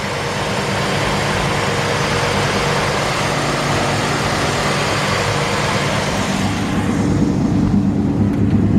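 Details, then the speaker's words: 1947 Ford half-ton pickup, heard under the hood: even, low idle with a steady beat and no tapping or knocking; solid-running engine; normal idle. "a little brighter living camera but at least you can hear the engine running"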